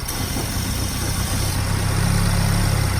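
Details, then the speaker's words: Chevy Equinox 2.4 engine starts, briefly runs well, then idles low and rough, loping and stumbling; spraying brake cleaner smooths it as fuel is drawn through a leaking gasket at the back of the intake manifold: vacuum leak causing rough idle and stalling. "Then if we take and spray some brake cleaner, it smooths out quite a bit. It's running real rough."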